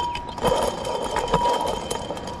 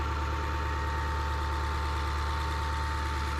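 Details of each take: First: Ford 7.3 Powerstroke leaking coolant: removed water pump spun by hand gives a thin steady whir with rough scraping bursts and rust coming out; the water pump bearing is worn. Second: 2002 Ford F250 7.3 Powerstroke diesel, about 200,000 miles, idling after replacing the water pump, believed to be the original Motorcraft, that leaked from the weep hole. Even diesel clatter at a steady idle, no stumbling, rattle or squeal; the engine idles healthy.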